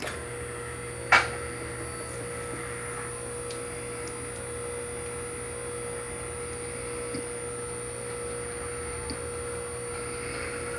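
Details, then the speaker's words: QuickJack 5000SLX lift power unit, filled with 2.1 quarts of hydraulic jack oil, raising: steady electric pump hum, one sharp clack, then faint ticks as the locks click into place at the top. Normal. "can hear the locks start to click into place. Okay, that's at the top."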